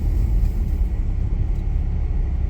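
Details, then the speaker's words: 20+-year-old Audi A4 B6 Avant driving after rear knocking repair: steady low road rumble over bumps with no knocks, bangs or rattles; rear suspension now tight and quiet. "I'm I'm much happier now and no knocking no knocking or banging or rattling or anything of the sort"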